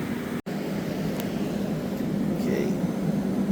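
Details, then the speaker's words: Unused Friedrich Vert-i-pak AC unit test run in cooling mode for heat pump water heater project, garage about 72°F, about 58°F from top, 97°F from back; steady even fan rush over low hum, no rattles or surging: normal running. "It's getting crisp up there. I'd say it's a working unit."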